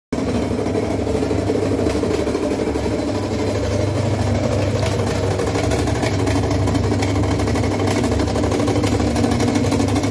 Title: whirlpool top load washing machine making loud noise